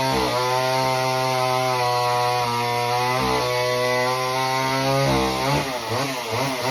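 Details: Homelite Super Mini chainsaw, customer saw that wouldn't run, rev or idle, after idle speed screw turned about a turn and a half: strong steady high buzz bogs slightly into the log cut and recovers cleanly; runs really well.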